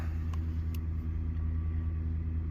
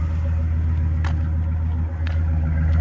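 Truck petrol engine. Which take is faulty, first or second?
first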